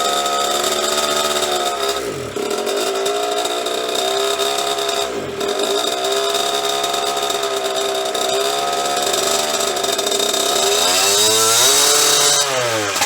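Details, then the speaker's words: 1998 KTM 50 two-stroke dirt bike after carburetor cleaning: buzzy revs sag twice nearly to a stall before catching again, then falter — engine will not stay running, cause unknown; owner wonders if the clutch is bad. "alright guys so it doesn't really stay running I don't know what the problem is"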